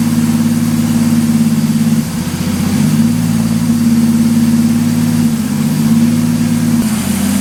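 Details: 1983 Ford Fairmont Futura, turbo Vortec 4200 DOHC VVT inline-6, after ECU trigger fix (rising to falling edge): steady, even idle with smooth low hum, no knocks or misses; normal idle.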